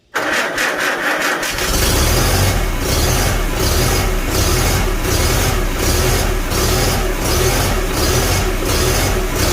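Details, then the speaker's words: Farmall Super A tractor after a magneto rebuild and timing reset: it catches after a brief crank, then settles into a smooth, even idle and a steady raised-throttle note with choke, with no misses or knocks. "There we go. That sounds much better. Let's give a little bit more throttle this time. Ooh, she sounds nice."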